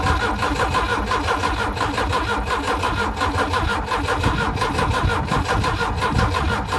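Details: Volvo Penta AQ131C marine engine: starter churns in an uneven, labouring rhythm, never catches, with backfire; cranks but will not start.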